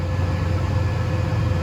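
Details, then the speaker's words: 1990 drill hydraulic fan running, set to about 42 percent from the cab console knob and at correct psi; steady, even low hum with no rattle or surging, constant speed; normal fan running. "got the right psi so now if you you listen maybe hear the fan running but it's running"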